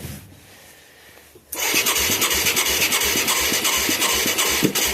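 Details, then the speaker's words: Mid-1980s Yamaha YFM200 Moto 4 ATV with replacement carb, new plug, good spark and fuel leaks: runs with ragged popping raspy exhaust and irregular spitting, blowing flames out the carburetor; owner suspects valve problems, not confirmed. "Yeah, it's just blowing flames all the time. You can hear it, I'm sure."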